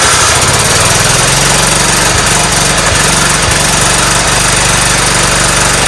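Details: 1994 Cub Cadet HDS2135 riding mower, single-cylinder, after sitting about 10 years, with fresh oil and fuel added: starts easily and settles into a steady, even run with smooth exhaust beat, no knocks or misses; healthy running.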